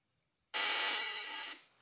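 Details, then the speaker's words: Ignition breaker points with a faulty condenser tested: harsh raspy buzz (snoring sound) with oversized spark, unlike the quiet clean sound with a new condenser. "suaranya sudah jelas Sudah ngorok suaranya bahkan percikan apinya terlalu besar"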